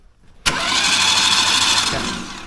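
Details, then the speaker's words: Pulling tractor being reassembled after breaking at Waterloo: starter spins fast and even with a smooth whirr and no chugging compression pulses because the spark plugs are out; cranking check before priming oil. "guess I kind of forgot that there's no spark plugs in it. I was gonna say, it sounds like there's no compression, because there's not."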